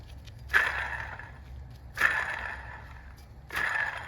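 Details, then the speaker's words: 2014 Toyota Camry water pump, removed: hand-spun pulley gives gritty rasping whir that fades, with play felt in it; bearing inside the pulley is gone, being replaced. "So the bearing inside the pulley is all gone. So that's why it's making this noise. And you could even feel the plate when you try to wiggle it."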